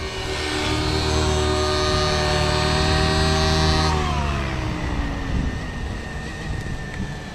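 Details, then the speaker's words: Nitro RC helicopter with an OS 55 AG non-regulated engine, power boost pipe, OS #8 glow plug and 30% heli fuel, during needle tuning: a high buzz drops smoothly to a low idle and holds steady without surging. Stable idle. "now we're listening for that search we don't hear no idle surging so we're we're right there"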